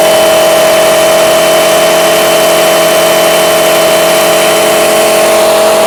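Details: Honda Lead AF20 two-stroke scooter on its first start after a full engine rebuild, warming so the auto-choke closes, idle raised and mixture screw set to one turn: steady, even buzz with a clean constant pitch, no misses or knocks; normal idle.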